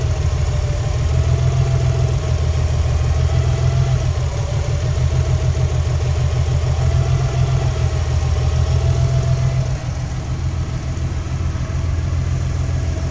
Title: rough idle, misfire, about 100rpm change when pulling injector plugs.